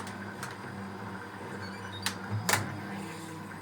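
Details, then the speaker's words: Fisher & Paykel Smart Drive washer, before the spray rinse spin: quiet hum with a few sharp clicks as the lid lock engages; normal locking sequence. "lit is now locked and so it's going to go into the spray rids"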